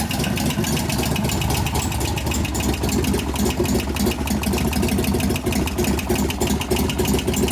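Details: 1988 Harley-Davidson FXR V-twin idling after pushrod adjustment and cam change: quick, sharp, steady ticking keeping time with the engine, suspected noisy pumped-up lifter, not confirmed.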